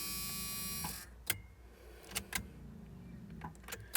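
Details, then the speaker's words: 1986 Ford F150 after replacing both fuel tanks and sending units and cleaning the tank switch reservoir: key to accessory, steady electric buzzing hum for about a second then a few clicks; fuel pump priming normally to purge air from lines. "to the accessory position and you'll hear the fuel pump pump a little buzzing"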